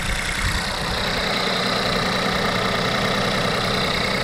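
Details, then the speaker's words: Volkswagen T-Cross automatic, 999 cc 1.0 direct-injection petrol, 110 hp, 2,000–3,000 km, bonnet open after start; dry diesel-like ticking clatter over steady idle, settling as it warms. Normal direct-injection idle clatter. "Injection directe. Vraiment le bruit de diesel. Hein. Voilà, il se calme un peu."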